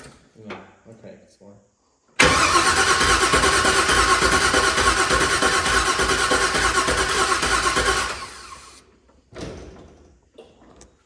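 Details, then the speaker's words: LS-swapped car on a first start attempt, new plug wires, fuel pump run from a relay, no injector pulse found; steady, even starter whirr of about three beats a second for six seconds without catching. Crank, no start. "Well, we're cranking. So now we got to figure out what's next. So we kind of got it sorted down to we don't have an injector pulse right now."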